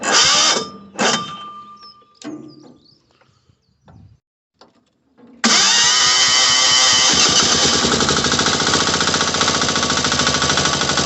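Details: Mini digger diesel that was a non-start with a suspected lazy starter, started using the compression release lever: some knocks and clatter, then it catches and settles into a loud, steady rattling run; normal running after start.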